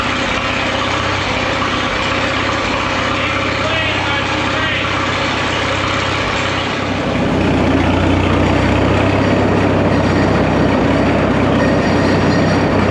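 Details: Caterpillar Twenty Two crawler with a pipe extension and clamped muffler on the exhaust, set at about half throttle: steady, even run rising to a fuller, louder note as the throttle opens midway, no misses or knocks; running healthy.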